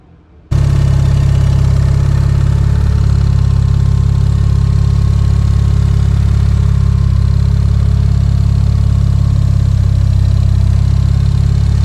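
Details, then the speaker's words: Mazda RX-7 turbo rotary running after the warped V-band downpipe was cut and replaced and a flex pipe and EGT probes were added; steady deep buzzy drone, V-band exhaust leak resolved. "overall happy with the result it looks like the exhaust leak is resolved and should be ready for a track day next month"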